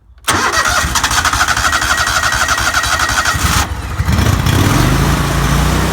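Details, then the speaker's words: Lawnmower during winterizing, running on ethanol-free TruFuel with choke to flush out ethanol gasoline and dry the carburetor; catches quickly, settles into a steady even run and picks up speed smoothly, no misses or knocks: normal running. "now okay now what I want to do is just run that through there for a couple minutes just let that uh that ethanol 3 fuel work its way out really dry out the carburetor"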